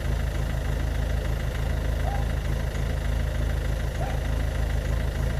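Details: Ford Focus Mk2 1.6 TDCi 90hp diesel with white smoke, idling: a lumpy, uneven beat about three times a second under a deep drone; rough idle, cause not yet known.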